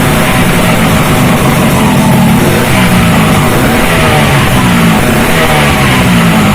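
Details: Freshly built racing Vespa two-stroke with direct-mounted reed intake, Japanese carburetor, uprated clutch spring and SRP competition exhaust, first start: loud raspy note settling into an even idle and rising cleanly on each blip without stumbling; healthy.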